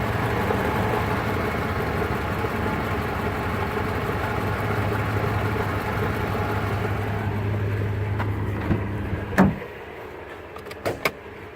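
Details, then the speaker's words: Supercharged engine idling, heard inside the car: a loose uneven rattle like marbles, traced with the hood open to the supercharger rather than the engine. "You can kind of hear it inside the car. It sounds like marbles or something in the supercharger."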